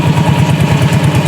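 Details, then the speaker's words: Yamaha Mio J automatic scooter, restarted without the CVT cover after repair: low, even thumping idle with steady beat, no rattle or grinding from the belt side; the harsh noise was the starter one-way clutch, now smooth again. "Oke, kita coba nyalakan tanpa bak seperti ya. Oke, udah terdengar halus, bisa dilihat bisa didengar buat teman-teman."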